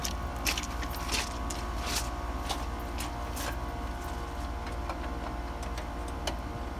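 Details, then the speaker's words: ICP builder-grade AC unit with slow-starting compressor, after adding a hard-start assist: starts instantly, steady low hum with constant tone and faint ticks, no labouring; running smoothly though earlier-than-normal compressor failure expected. "all right well it did start instantly so I'm gonna tell them that they can inspect the compressor to last somewhere between three days in three years who knows but it is having to be assisted to start"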